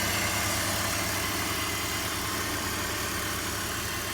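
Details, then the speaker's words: 2004 BMW X3 3.0, which previously idled rough, at idle after garage repairs: smooth, steady idle with an even hum and no stumble or miss; normal idle. "listen to her she's just boring like a kitten Oh beautiful beautiful"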